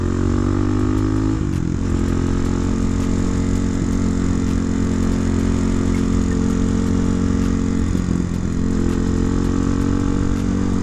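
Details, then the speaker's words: 2009 Kawasaki KLX250SF single-cylinder revving and dropping back with sharp pops in the exhaust on throttle changes; owner suspects jetting needs tuning, not confirmed. "yeah I think it's uh the jetting needs a little tuning it's it's backfiring a little bit but"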